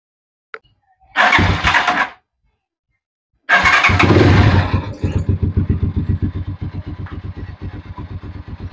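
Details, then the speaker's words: Vperman 150 motorcycle in first gear, started only with the clutch pulled because of the clutch switch: starter cranks twice, then the single settles into an even low putter, about four beats a second, rear wheel turning. Normal idle in gear. "Naka-primera yan. Umiikot yung gulong."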